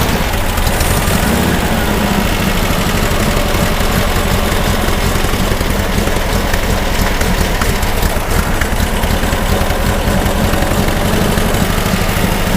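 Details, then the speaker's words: 1959 VW dune buggy, freshly rebuilt air-cooled flat-four with 38mm carb kit, about 30 minutes into its roughly hour-long break-in run, timing set: busy, raspy but steady idle with no dropouts or knocking; smoother now, valves and feeding properly. "she's just hurrying along it's really got smoother and all the vowels and feeding properly"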